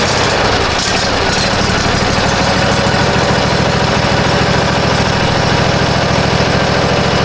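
Loud, steady low thumping at a settled, even beat with no misses or knocks; the mower engine is idling healthily.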